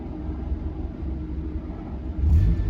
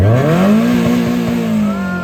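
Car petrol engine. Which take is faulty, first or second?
second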